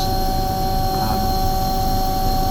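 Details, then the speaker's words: Waste oil heater burner runs with a steady, even roar and constant hum, no sputtering or surging and no smoke, firing cleanly. "here's a time when it just runs really smooth and you think you've got it um and I'm hoping this is the time and it is and it's it's running really really nicely like there's no smoke at all"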